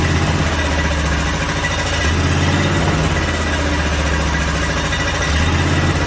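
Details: Briggs & Stratton 18.5 hp V-twin, sat outside for 20 years, first fire on an engine stand with oil left low: loud, steady, even low drone with no knocks or misses; runs smoothly and sounds healthy.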